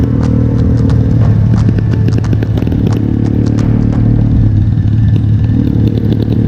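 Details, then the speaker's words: 1974 Triumph Bonneville T140V 750cc twin running lumpy with a limping, uneven beat and irregular popping under throttle, apparently on one cylinder; a spark plug on one cylinder suspected, not confirmed. "kedengaran ya, suara Boni itu mulai satu-satu tidak balance, timpang, sepertinya ada masalah. Jadi sepertinya busi dari salah satu silindernya ada masalah."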